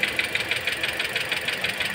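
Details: Toyota Altis, warm idle, after an AC compressor replacement left the system without coolant: bright metallic ticks about seven a second over the idle; cause suspected, not confirmed.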